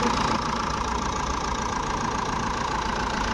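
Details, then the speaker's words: Jeep Compass after alternator pulley replacement: engine idles smoothly with a quiet even hum, no squeal or rattle from the belt side; engine compartment noise gone. "अच्छा तो यहां पे engine start किया है और जो हमारा बाहर का आवाज आ रहा था इंजन का व हमारा क्लियर हो गया है यहां पर इंजन कंपार्टमेंट में कोई आवाज नहीं है एकदम गाड़ी हमारी साइलेंट हो गई है"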